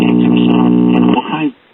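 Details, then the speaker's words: Late-1930s/early-1940s Sears Silvertone battery farm radio on a battery eliminator after capacitor replacement: steady low hum with overtones that dies away as power is cut; owner suspects the missing AC bypass capacitor or a wiring error. "When I unplug it, you can hear the hum go away, so it makes me wonder."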